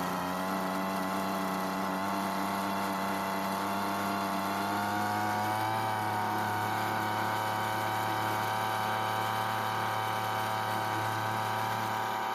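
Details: Recently bought Weedeater leaf blower that wouldn't start, with newly replaced fuel lines; small two-stroke buzzes steadily near idle, dipping once then holding even, running.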